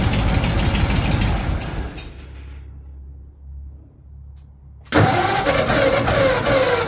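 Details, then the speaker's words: 1936 Ford 1½-ton truck, 8BA flathead V8 converted to 12 V negative ground with Pertronix ignition, cranking after six years, choke pulled: starter spins the engine in bursts, never catches; mechanical fuel pump not drawing fuel, no start. "any fuel coming in yet don't see any it's not pumping anything yet"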